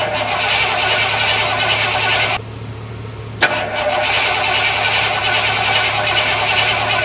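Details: Lifted bullnose Ford carbureted truck, first start after sitting almost 4 years, carburetor just cleaned and rebuilt with new spacer and inline fuel filter: catches and settles into a steady, even run with low hum, no knocks or misfires; normal running.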